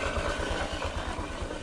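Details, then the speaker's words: Honda Click scooter at idle and with the rear wheel spun: a rough scraping noise from the belt-drive side, which the owner suspects comes from the torque drive; the crankcase cover is being removed to confirm. "natin iikot natin yung gulong Ayan mapapansin niyo may may parang kumaliskis Ayan mga paps yung ingay yun Dinig na dinig yung ingay yan so ang feeling ko is sa tk drive"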